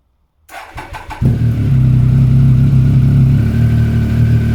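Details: Triumph ST1050 motorcycle, bought cheap at auction, cold start: starter churns briefly, engine catches and settles into a steady, even idle with no knocks or rattles; normal, healthy cold start and idle.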